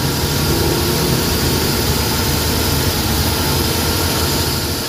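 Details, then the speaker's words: Suzuki DA64/DA63/DA17 engine after repairing burnt wiring that caused vibration with AC on, idling with aircon running and RPM raised: smooth, even idle, steady low hum, no shudder or surging; vibration fixed. "Okay na yung RPM tapos naka-aircon. Ayan nakaon ng aircon. Malamig."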